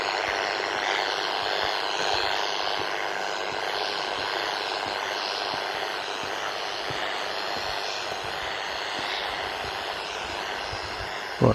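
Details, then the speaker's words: Scanner walked past a neighbour's house while hunting 80/40 m radio noise; constant harsh hiss with no signal underneath near the house; owner suspects its wireless CCTV or Ring doorbell, not confirmed. "so as we can see there's some sort of noise from there so as you heard with the noise um i'm pretty sure is that house the house has wireless cctv cctv and it has a ring doorbell"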